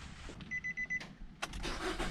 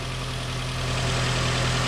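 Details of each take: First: Nissan Rogue before ignition coil and spark plug replacement, pending code calling for new coil and plug; door chime, then cranks into a lumpy, stumbling idle with uneven low beat; misfire from faulty coils and plugs. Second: Nissan Rogue idling after ignition coil and spark plug replacement, no check engine light, some oil burning off; steady even idle, smooth low hum, no misfire stumble or ticking; normal, second cylinder to be monitored for oil.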